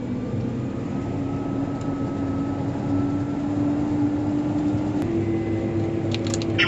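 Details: Combine rotor after loose flat iron was cut out of the cone, test run before reassembly: steady even hum rising as the rotor spins up, no knocks or bangs; runs clean, good to go.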